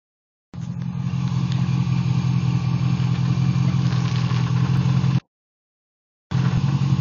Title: WJ Grand Cherokee 242HD transfer case noise